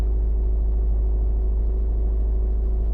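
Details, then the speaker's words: 2010 Subaru Forester 2.5 with a JDM replacement engine, which normally won't start below −12°C: on a warmer day it started perfectly and idles with a steady, even boxer rumble and no knocks or misses. The fault did not reproduce that day. "maybe it's warm enough today not to act up as you could hear it started perfectly fine"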